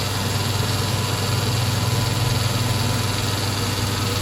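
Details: Sioux valve grinder after fabricating a recirculation oil return pan: steady low motor hum with soft even pulse about 2.5 per second, running smoothly; oil dripping back to pan. Normal running.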